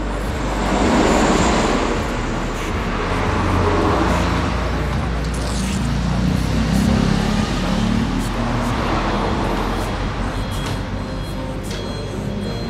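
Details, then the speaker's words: Motorcycle just fitted with a Temlar RRA Supra racing camshaft replacing the stock cam, idling: soft, deep, even bassy idle with steady low beat and no rough clatter over street noise; engine running healthy. "nah ini Joe sudah tak nyalain untuk suaranya loh fifa.tv ngebas ngebahas itu ngebahas empuk dan untuk tarikan lebih responsif"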